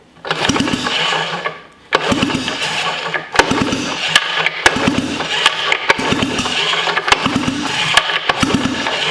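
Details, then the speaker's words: Sachs Wankel KM24 rotary engine (from a 1974 Arctic Cat Lynx snowmobile) going on a 1980s Suzuki LT230 frame: repeated cranking bursts that never catch; won't start, pitted rotor housing leaking compression (compression not tested); carb rebuild planned next. "it sounds like i mean we can't we we didn't test compression or anything but i mean it sounds like it's compression"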